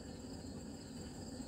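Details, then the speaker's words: Supersplit wood splitter axle bearing with blown-out dust shield, spun by hand: steady gritty low rumble with a faint hiss, slightly noisy and rougher than a healthy bearing; preventive maintenance planned, cause suspected, not confirmed. "all I have is what I consider to be a smidge noisy let's see if I can keep from losing my hand now you hear that anytime you hear that in a bearing"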